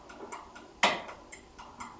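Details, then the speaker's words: Microwave door micro switch (NO/NC/COM type) pressed by hand to test it, on a microwave that had a door error and a blown fuse: one sharp, crisp snap over faint ticking. A clean click indicates a good switch; the faulty one was fused and would not click. "you could tell if a switch is pretty good typically by listening if you push in the little button"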